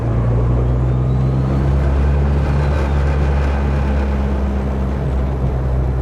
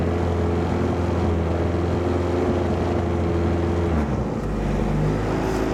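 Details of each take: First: Car with newly fixed TPS and a tune still needing correction, rolling off throttle then cruising: a steady low drone with a faint rising whistle as the turbo spools normally, and heavy vibration felt through one area. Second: Car after TPS replacement, intake air temperature sensor unplugged, engine still a bit cold: idle hum sags and shifts pitch, revs hunting; owner suspects coldness, cause unconfirmed, check engine light on.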